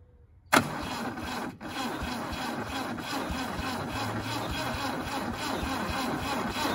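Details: 1971 MGB pulled out of the woods after about 20 years unused, first start attempt after gapping the ignition: sharp start then uneven chugging that builds as the engine catches; it then ran with no knocking, some valves still sticking.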